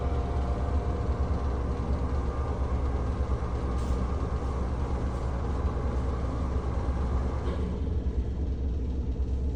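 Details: NuTone 696N basic exhaust fan, caked with dirt, runs with a heavy, uneven low rumble from bad motor bearings.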